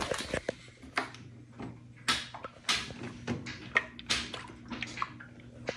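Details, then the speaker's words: Home-built skiff propped steeply on stands, with a hole drilled into each of six below-deck sections after a livewell drain leak flooded an unsealed hatch: irregular sloshes and hollow knocks show water still trapped in a sealed compartment after 4 days of vacuuming. "I don't know if you can hear that on the camera, but there is water still somewhere back here."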